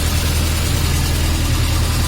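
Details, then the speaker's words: VAZ classic (2101–2107) rear axle after replacing the broken axle shaft bearing, car raised with the drum removed; a smooth, even low hum with no rattle or metallic knock, the new bearing turning quietly. "Вроде не тарахтит, да, с этой стороны, тогда было вообще."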